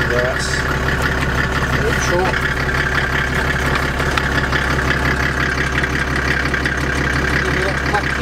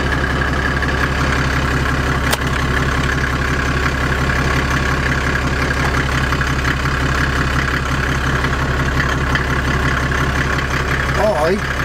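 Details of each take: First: Land Rover Defender with OM606 diesel and automatic conversion, started after a week sitting, idling with transfer box in neutral: steady idle with faint high whine and light irregular ticking; source unidentified, ticking not heard in reverse. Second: Land Rover Defender with OM606 six-cylinder diesel and automatic conversion, after the gearbox fault was fixed: steady, even diesel idle through reverse, neutral and drive, with the earlier ticking gone. Normal idle.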